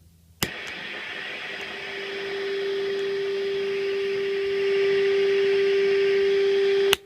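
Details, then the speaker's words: Fuzz pedal powered from a non-isolated, shared pedal power supply output: when the pedal switches on, a constant high whine and loud hiss start and stay, blamed on the non-isolated supply. "how noisy it makes everything so yeah that's wise important to use an isolated supply it not regulated one measure this fully isolated because this just it just won't play nicely or anything else"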